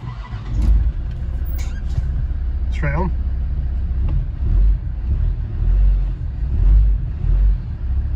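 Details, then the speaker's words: Land Rover Defender TD5 diesel after oil, fuel and rotor filter change, started once the priming cycle finished and management lights went off: catches quickly, settles into an even idle without stumble or misfire. Normal start. "yeah that's good so yeah as I say that cycle carries itself out and there's no problems with it"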